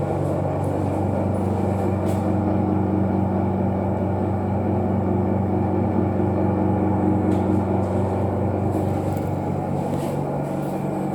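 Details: Restroom hand-wash area exhaust fan: constant droning hum with a steady low buzz and a faint rhythmic flutter, alarming; abnormal fan noise, cause unknown.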